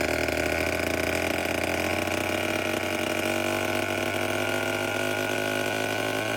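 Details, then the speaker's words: Vintage Homelite 7-19 chainsaw from the late 50s or early 60s, after carburetor cleaning but still needing a new diaphragm and with the fuel tank and line not yet cleaned: steady, even two-stroke buzz at one pitch, idling cleanly, a runner. "it's definitely a runner."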